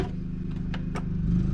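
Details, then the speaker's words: 1990 Fleetwood Bounder motorhome generator as a coffee maker on the 110 V circuit switches on: steady engine drone firms up and climbs slightly in pitch as the load comes on. Normal governor response, generator taking up load. "We're just gonna do that and put a fresh French roast coffee in there. I should hear the generator ramp up."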